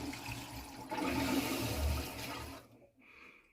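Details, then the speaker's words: Anti-scale water filter housing after fitting a new cartridge and repressurizing the circuit: a couple of seconds of loud rushing water fading to near quiet as it refills, pressure gauge stable, no leaks; normal filter refilling. "Voilà, donc là ça fait plus de bruit. J'ai un petit manomètre ici qui est stable."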